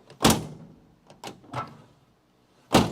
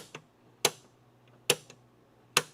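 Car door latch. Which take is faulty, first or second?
first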